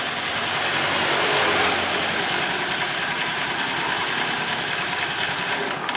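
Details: Honda Vario 110 carburetor scooter that had been hard to start after an ignition coil replacement, now starting readily: the engine idles steadily with an even, light mechanical clatter and no misfires; charging measured about 13.2 V.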